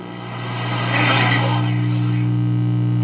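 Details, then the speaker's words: All-original 1951 General Electric 422 AM table radio, powered up before restoration. A loud, steady low mains hum persists with the volume turned all the way down, attributed to a faulty filter capacitor. "and yes it does work go ahead and turn it on it has an eliminated dial position indicator and it has a very loud hum you can hear it now"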